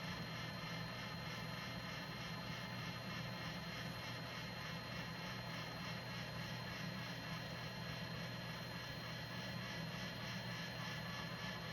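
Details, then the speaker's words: JVC GR-SXM330 Super VHS-C camcorder after transport rebuild (fix for clicking/E03 error): rewind of a damaged test tape with steady even whir, no clicks or knocks; normal tape rewind. "And you can hear the transport's pretty quiet. I mean, yeah, there's going to be, of course, noise in the rewind and forward, but no clicking."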